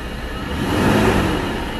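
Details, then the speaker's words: 2000 Nissan Xterra 3.3L V6 after crank-no-start ignition-circuit troubleshooting, timing not yet set: runs and picks up smoothly in a short rev, settles back without stumbling or missing; tachometer shows RPM. "See, we have a RPM. It's running."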